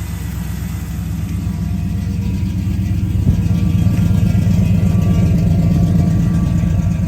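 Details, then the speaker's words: 1978 Chevy 3/4 ton V8 after new transmission, torque converter, carburetor, exhaust and fuel pump installed, floats and choke set: fires right up and settles into a deep, even idle with a steady regular beat, no knocks or misses. "fire it up oh no way [Music] that fired right up"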